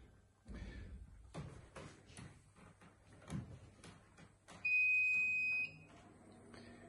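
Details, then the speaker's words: Manfredi Prisma Galileo machine powering up from the main switch: a few soft clicks, then one steady high beep of about a second from the main board initializing. A normal startup. "the noise here is uh of course the calling of the main board okay so now the system is on"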